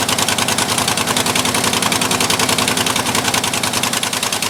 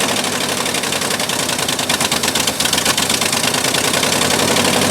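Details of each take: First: 1958–59 Ford F600 grain truck, 330 V8, long unstarted, after float-level screw adjustment: steady, somewhat uneven running with a wet hiss on top, far too much gas coming out; carburetor flooding, owner suspects needle and seat. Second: 1958/59 Ford F600 grain truck, 330 V8, unrun for years, started after refitting the carburettor float: cranks, catches with a few uneven beats, then settles into a steady, fairly even idle with no misses.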